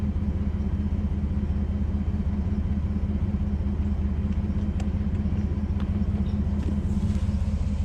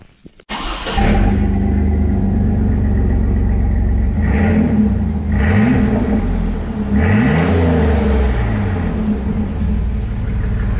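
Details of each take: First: Chevrolet S10 work truck just after installing a new 18-inch 409 stainless Total Flow muffler: deep, even idle rumble with no rattles, ticks or exhaust leaks; normal, healthy exhaust note. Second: Stock 4.3 V6 2003 Chevy S10, 269,000 miles, started with muffler removed: loud, raw, deep unmuffled rumble from start-up through a few revs, not terrible, has a tune; straight-pipe exhaust.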